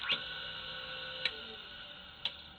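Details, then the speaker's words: Rebadged Foley 1977 Wissota S8B skate sharpener, 2.2 amp motor with start and run windings: three sharp clicks about a second apart over steady whir as the centrifugal start switch cuts in and out, normal. "The motor here, when you listen to it, you can hear the centrifugal clutch kick in and out. So there's a click noise."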